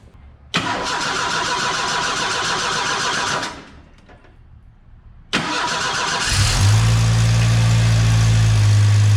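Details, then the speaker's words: 1986 Ford Mustang SVO after swapping a tubular header for the OEM exhaust manifold and adding coolant: engine cranks twice, fires and idles with low uneven puffing from an exhaust leak at the back of the turbo, where a bracket bolt is missing. "Sounds like it might have a bit of an exhaust leak. Hear it back there. It's kind of hard to see, but on the back side of the turbo, there was a bracket that went through there, and that bracket, the bolt on the bracket apparently goes into the turbo, so I need to put that bolt, at least that bolt, back in there to sto"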